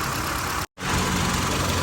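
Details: 2010 vehicle (given as E73) running on both gas and petrol, brought in for engine shaking and stumbling. After repair, a one-hour heat test, coolant refill and no leaks, it has a smooth, steady idle with one brief dropout. Normal idle.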